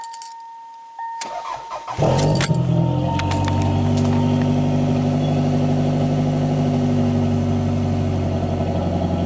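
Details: 1994 Toyota Celica GT after fuel pump replacement: short crank catches and runs with an uneven rumble, fighting to stay running; owner suspects the fuel pump relay.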